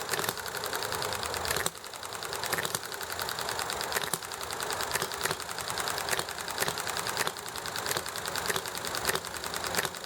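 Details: Enjomor model engine running as it should: crisp single firing pops at irregular gaps with coasting between and clicky valve gear, over highway, alley traffic and conversation noise; normal hit-and-miss running.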